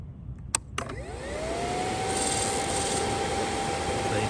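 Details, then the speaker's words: Brand-new 2023 Kawasaki ZX-10R KRT with about 28 miles, at ignition key-on: two clicks, then a whir that climbs in pitch and holds steady; normal priming sound. "so guys listen to this when you started on it's on like a Transformer"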